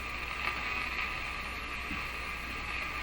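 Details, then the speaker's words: Canadian Philips 922 tube radio after paper capacitor replacement, with no antenna: steady hiss with faint whistling tones and irregular crackle; interference noise, unknown whether from shop equipment or the radio. "So I don't know what that is. Something in my shop putting out a large number of signals, or something going on with the radio."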